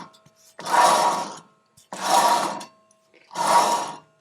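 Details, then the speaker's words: Front hub and bearing assembly isolated, rotor removed, spun by hand: three rough, gritty rushes fading as it coasts down; worn wheel bearing. "now we can spin this and we know that we won't have any brake drag creating noise and you can hear how terrible this sounds i know you couldn't hear it so well before when we were driving around but it should not sound like this"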